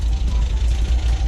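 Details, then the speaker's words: 1974.5 MG MGB with HIF4 carburetors, after new floats and needles fixed flooding: low, even four-cylinder idle at about 750–800 rpm, previously about 1,000–1,100, with no misses or hunting, idling better than ever. "Alright guys, so thanks to Leighton, Project Bobby B is back up and running. Actually idling better than it ever has."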